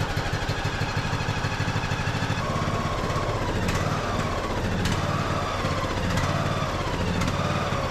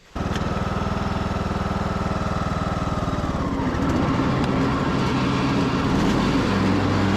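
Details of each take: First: Craftsman YS4500 riding mower, 21 hp single-cylinder, before repair: it lopes unevenly, with speed hunting and a sharp pop about every second; fuel problem causing surging and backfire; tank to be drained, carburetor suspected. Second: Craftsman YS4500 tractor, 21 hp single-cylinder, after fresh oil, a good air filter, a third carburetor and a new fuel filter: it catches at once and settles into a steady, even chug with no misses or surging, and is charging the battery. Normal running.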